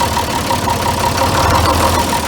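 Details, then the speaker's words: John Deere 4010 diesel idling just after lift pump replacement and fuel bleeding: an uneven, hunting surge with faint ticking from air still in the fuel system, so a little more fuel is given to clear it. "you hear that surge we're actually going to give it a little more fuel"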